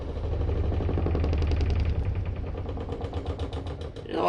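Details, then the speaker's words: RV washing machine on standard mode with warm water and medium water level, during spin: heavy, uneven low thumping about three times a second as the drum bangs out of balance; owner suspects worn shocks, not confirmed. "keeps making this noise guys and constantly off balance stuff probably the shocks are probably gone or something I don't know"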